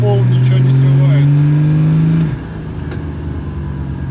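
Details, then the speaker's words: BMW M57 3.0 diesel, pulling hard in third under load after clutch slipping with dual-mass flywheel issue; pitch climbs smoothly with speed, no flare; normal clutch engagement. "давай Давай он усилия уже гораздо больше прилагает он не проворачивается вообще хорош и метка вернулась на свое место"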